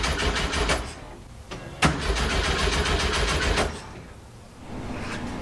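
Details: 1967 Volkswagen Fastback, after starting spray, checking whether the points fire: starter cranks steadily at about three to four turns a second with no catch; crank no-start from no spark, ignition module repeatedly fried, fourth module next.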